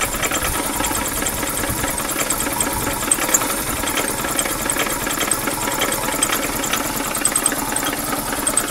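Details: 2000 Chevy Metro after low-oil running and an overheat from a bad coolant hose, compression 140/15/50/140 psi: rough idle with uneven sharp knocks two or three a second; owner suspects rod bearings on cylinders 2 and 3 and worn rings/walls.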